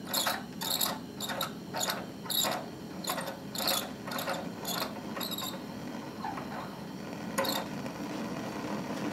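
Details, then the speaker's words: Lab Bunsen burner with a properly adjusted flame, 2–5 inches tall, blue outer and lighter blue inner cone, set via the air inlet valve. A soft steady roar with uneven sputtering pops shows a strong, well-mixed air/gas flame that won't blow out. "you have a properly adjusted flame, you should be able to hear it sputtering. This indicates that it's a strong flame with an appropriate air / gas mixture so that it won't blow out as people are walking by."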